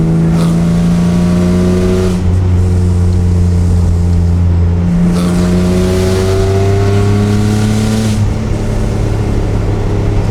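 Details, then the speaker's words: BMW E36 M3 after head gasket and bent exhaust valve rebuild, first test drive: engine pulls up through the gears to 5,000–6,000 rpm with a loud raspy, droning exhaust rising with revs; sounds like a worn exhaust. "While this car does sound like crap, it is actually so much fun to drive."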